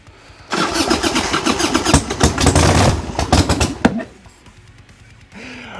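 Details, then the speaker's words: 1990 Harley-Davidson Sportster 1200 after 10 years stored, on starter fluid with a temporary battery: uneven cranking and ragged firing for about three seconds, then one sharp backfire pop as a fireball came out before dying; owner suspects lack of fuel. "a fireball just came out of there it was awesome"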